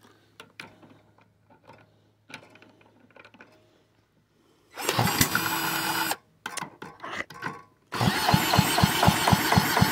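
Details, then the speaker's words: Villiers Mark 10 side-valve engine, unrun properly for 30-40 years, ignition just fixed, choke off, start attempts (previously flooded): quiet clicks, then short firing bursts that die out; fires but won't keep running, cause unconfirmed. "it wants to fire a lot of these parts aren't really made for this thing so see how we're going"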